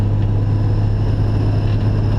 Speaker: like this i've high pitched kind of weird as soon as i lay my foot on the clutch so i don't even really need to push it in that much completely goes away